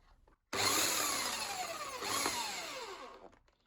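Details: Bosch AHS 40-24 corded hedge trimmer, salvaged from a skip, dusty, with a crusty blade, as oiling begins: a sudden, high, buzzing rattle of the blades runs steadily, then dies when the trigger is released. Normal running.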